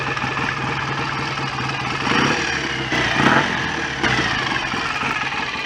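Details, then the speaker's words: BSA A65 twin after engine rebuild, after timing check: settles into steady, even idle with a couple of light throttle blips; no knocks, rattles, leaks or smoke, sounds healthy. "all sounds fairly happy with life to me [Music] don't seem to be any nasty leaks or smoke or horrible noises"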